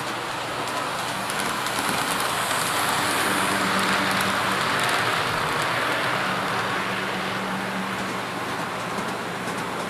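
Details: Athearn P42 model locomotive no. 156, test run after lubrication while hauling 3 cars as a light load: smooth rolling hiss with a faint steady motor hum rising and falling as it passes. Runs healthy, considered fixed.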